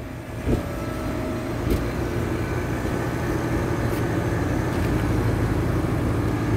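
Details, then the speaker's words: HVAC condensing unit on a hot day of 100-plus degrees, after repairing a burnt wire connection: continuous low hum with steady whir and no buzzing, compressor and condenser fan running normally and cooling; system also low on refrigerant. "yep she cooling she cooling that's what it was don't let a bad connection CA you to misdiagnosed like I almost did"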